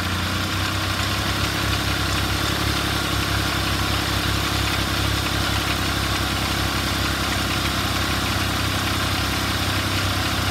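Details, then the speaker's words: Car just started after a temporary soldered repair of its alternator, battery about 12.4–12.5 V; uneven, lumpy idle with rattly vibration instead of a smooth hum: rough idle, cause unclear. "that is that doesn't sound good anyway I'm gonna let it run for a bit and let it charge and see if that voltage drop when the the initial startup comes up any"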